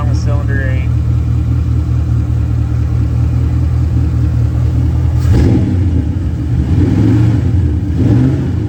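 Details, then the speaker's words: LT1 V8 swapped into Mazda B4000, first runs: deep burble with uneven stumbling beat and recurring pop on revving; misfire, suspected on cylinder eight, traced to a stuck injector. "cylinder eight right there I think I got something going wrong"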